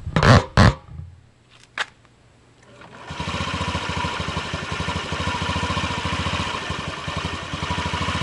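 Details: 2003 Honda Ruckus scooter after fitting a new carb jet and tightening the carb bowl screw. After a few handling bangs the single catches and settles into a quick, fairly even putter with no misses. Normal start and idle.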